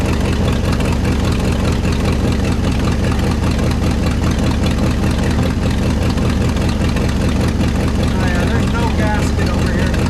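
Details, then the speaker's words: 1969 Ford F-100 FE V8, revived after sitting: steady, lumpy idle with a quick puffing tick about two or three a second riding on it, a large exhaust manifold leak; headers planned as the fix. "And of course it has, just like any other FE, a giant exhaust leak over here. But that's what they make headers for, y'all."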